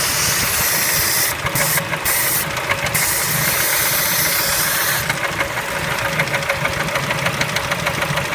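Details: Kia Spectra engine at idle: uneven, sharp ticking knock about three per second over the idle; knock, cause not pinned down.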